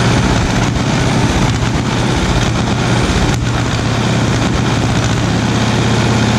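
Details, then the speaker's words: 1936 Caterpillar RD7 tractor, first start after its seized starting (pony) engine was rebuilt: a loud, deep, steady diesel thump with even firing and no knocks or misses, idling strongly. "that's not so bad that's uh two starting images in a row where they fired right up for us"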